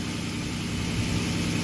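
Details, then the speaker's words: 2007 Maserati Quattroporte 4.2L V8 M139 after cam cap variator-noise repair, started after sitting hours: smooth, even low idle rumble with no ticking or rattle; variator noise gone, normal idle. "looks like the problem has been fixed easy start no noise"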